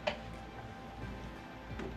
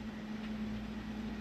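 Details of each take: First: Mastercool MCP44 evaporative cooler digital control board plugged into the wall with nothing connected: sharp, irregular relay clicks every second or so while the green light flickers; faulty control board. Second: Mastercool MCP44 evaporative cooler after a control switch swap, with the reservoir now filled: a soft steady pump hum with a faint constant tone and light water rush, running normally.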